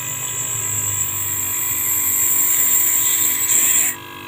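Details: Used AC compressor repurposed as an air compressor and vacuum pump, still on its old capacitor (value dropped but still usable). A high airy hiss rises steadily for about four seconds, then cuts off sharply; it pumps up quickly to the gauge stop, normal.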